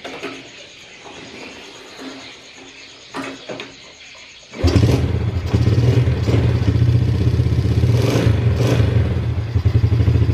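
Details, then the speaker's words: Yamaha Vega ZR after replacing the cam chain, fitted because of a rough rattling noise: the engine catches and settles into a smooth, even, quiet low idle with no clatter or ticking, like a new engine. "Oke mesinnya halus ya Kang Brooklyn YIMM kayak mesin baru mulus gak ada suaranya"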